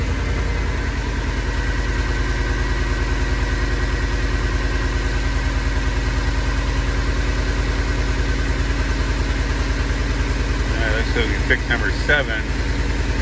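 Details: 2014 Ford E350 5.4L V8 with injector circuit and misfire codes (P0304, P0307), idling with steady uneven lope about three dips a second from a dead cylinder; coil left unplugged after wiring repair.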